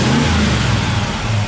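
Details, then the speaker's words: Ford 351 Cleveland V8 in an XC GXL Falcon during a tune-up with ICE ignition fitted: the engine blips up and drops back cleanly without stumble or popping, called much better; normal rev response. "So let's give it a bit of a rev now and hear the response."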